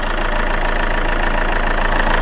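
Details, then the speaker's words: 2014 Chevrolet Cruze 2.0L turbo diesel, automatic, idling with the hood open, rubber-damped engine with slight vibration: steady, even diesel clatter with a low throb, no odd knocks or misses, noticeably noisy under the hood; healthy idle. "And as you can tell, it gets pretty noisy once you open up the hood."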